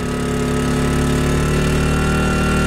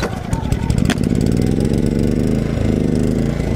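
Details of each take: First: Portable generator, warming up but still being broken in, charging a Tesla Model X at 12 amps, 121 volts (about 1464 watts, within capacity): steady even drone, rpm rising, clean firing rhythm holding firm; normal running under load. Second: Portable generator, not fully warmed up, before charging a Tesla Model X: chugging unevenly, speed hunting up and down, wanting to die; engine surging, owner suspects cold running, not confirmed.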